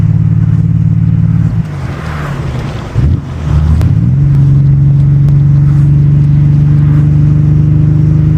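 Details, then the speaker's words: Nissan 300ZX Z32 (VG30DE) with a refabricated exhaust, after TPS reset and ECU swap: deep steady exhaust burble with a quick rev blip that drops back and settles evenly; healthy engine, sounding far better than before. "Way better than it used to sound. So I would say that that's definitely a win."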